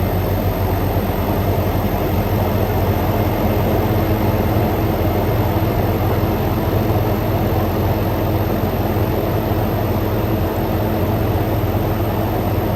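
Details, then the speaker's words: Frigidaire Gallery GHWQ103WC1 10,000 BTU dual inverter air conditioner, about 66°F ambient with 54°F at the outlet: steady low compressor hum with smooth condenser fan rush, no knocks or rattles; normal running. "split 55 should hear the compressor start ramping up here along with the cond that's your fan"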